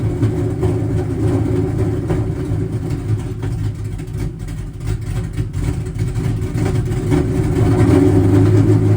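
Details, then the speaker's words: Ford Cobra V8 first running in two years: lumpy, uneven idle that loads up and stumbles about three beats a second with a fair bit of backfiring; cause unknown, not confirmed. "I still hear the car backfiring a pretty fair bit. I don't know why that is"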